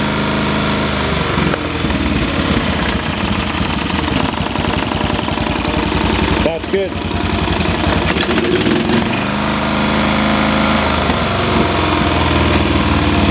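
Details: Late-1980s/1990s lawn tractor engine after carburetor cleaning and air/fuel screw adjustment: single-cylinder engine catches and settles into a quick, even putter with a steady beat and no misses; sounds healthy.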